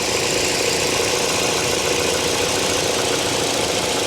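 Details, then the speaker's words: Salvage-auction car, long-sitting: steady, even idle with smooth quiet hum, no knocks, misses or rattles, no leaks seen; normal healthy idle. "very quiet fired right up on her own didn't need any help for me yeah not bad not bad"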